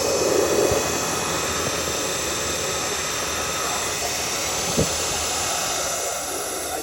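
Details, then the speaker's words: Pioneer Superflow pool pump with replacement motor that intermittently shuts off until rested 5-10 minutes, despite a new capacitor two weeks ago: steady, even motor hum and airy whir, no knocking or grinding; motor runs fine, leak likely from the seal plate. "I put a new capacitor on there 2 weeks ago, and it's still doing it. You can hear the motor's running all right."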